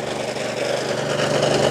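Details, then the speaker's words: Lawnmower engine running fast and rough, dense rapid patter with a knocky edge; owner calls it rod knock, unconfirmed, and keeps using it until it dies. "what better way to end the fucking, what do you call it, end today's vlog with a bit of rod knock."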